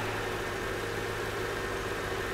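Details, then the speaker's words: Mercedes R230 Copart car started: steady, even idle hum with no misses, knocks or ticks; engine running smoothly and healthy. "Let's listen to the engine. Look at that. She's alive."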